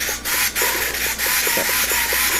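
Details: Rebuilt UMX 300 micro RC plane, aileron servos after the glue-fouled elevator servo: short quick whirring sweeps with no catching or grinding; these servos move smoothly and work properly.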